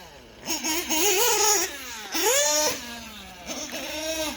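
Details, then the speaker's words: OPS Speedster .21 nitro engine in a buggy on the track, leaned out for max power: the high buzz sags and drags under throttle with a lean bog. Owner suspects warming morning temperatures are leaning it out further. "yeah we're getting some lean bog there yeah I don't like that"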